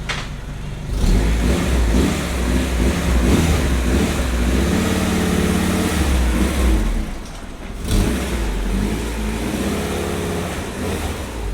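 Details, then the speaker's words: Honda CRX with rebuilt B20/VTEC engine after squeal fix, breather port opened on top and intake manifold vacuum nipple blocked: repeated revs settle with a smooth even note, no squeal; running cleanly. "the Honda's out there it's uh it's running pretty good"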